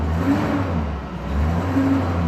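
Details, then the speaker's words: 2001 Chevrolet Silverado after repair of a stutter-and-stall fault with P0300, brake-torqued under load: deep, steady engine drone gently rising and falling, running even with no obvious miss, though the scanner logs a few minor misfires. "I'm going to brake torque this a little bit. See under load if it's picking anything up."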